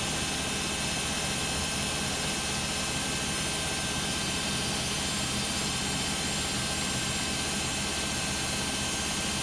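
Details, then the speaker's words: Beko WM5100W 5kg washing machine, found on the street and plumbed in, test-running a rinse with rags: a loud, constant rushing roar with no clear rhythm runs through a roughly 10-minute spin. Much too noisy; cause unconfirmed. "it sounds like it's about to spin here i'd better stop talking it's going to get loud"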